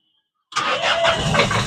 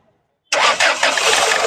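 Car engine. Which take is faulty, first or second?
first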